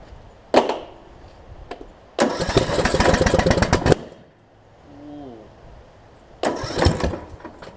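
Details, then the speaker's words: John Deere D110 mower rebuilt engine after head gasket replacement: catches and fires briskly in short even bursts, cuts out, restarts cleanly; possible valve cover leak or burn-off; normal running. "so foreign whoa i said seems to run good oh so good"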